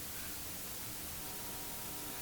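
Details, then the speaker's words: 1950s Healing 400H valve radio full of sand, after shifting valves around, earlier received stations: steady hiss with faint buzzy tones, no reception; owner suspects a short in the chassis wiring underneath. "Sounds like something shorted out, doesn't it?"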